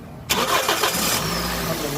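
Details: 2005 Toyota Corolla with an intermittent no-start: the engine catches at once and settles to a steady, even idle with no stumble. The cause was described as simple.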